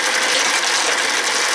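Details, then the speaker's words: American Changer first-generation green stripe coin hopper, recently rebuilt elsewhere, in for excessive noise and vibration, dispensing; continuous harsh, gritty ratcheting grind; gearbox running rough. "This side's going to run until it goes back to here to complete the vin. But do you see how rough it sounds?"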